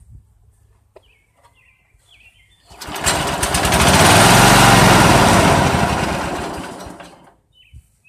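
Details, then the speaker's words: Old Dynamark riding mower, Briggs & Stratton single-cylinder, sat outside about a year, rope-pull start with fresh gas: silence, then catches and runs about four seconds, surging unevenly before dying; owner suspects moisture in the tank and carburettor. "okay well what it sounds like is probably a little bit of moisture got in the gas tank and it's down in the carburetor"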